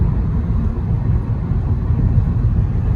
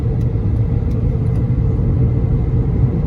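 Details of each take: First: 2011 Honda Accord after replacing the front left wheel bearing (previous rhythmic "boo boo" hum growing in left turns, fading in right turns): steady even low road rumble at cruising speed, no growl or whirr; normal driving, no bearing noise. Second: 2011 Honda Accord driving: deep steady droning "boo boo" hum under road noise that increases on left turns and goes away turning right or switching lanes; bad wheel bearing.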